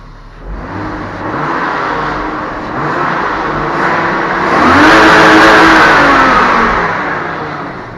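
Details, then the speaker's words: BMW E34 after replacing a clogged, loudly whining fuel pump that caused power loss at 5500 rpm: engine climbs smoothly in pitch and drops back with no pump whine or buzz; normal revving. "Он не гудит. Тишина абсолютная. Ты слышишь? Что там делать? Все работает нормально вроде."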